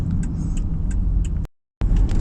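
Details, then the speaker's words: 2008 Toyota Kluger/Highlander driven over many bumps after tackling a front strut knocking issue: even road rumble with no knocks or clunks, where before, with the camera in the same spot, knocking came from the left windscreen corner/dashboard at the strut top mount. "right guys right now so many about guys we cannot hear any knocking sound guys"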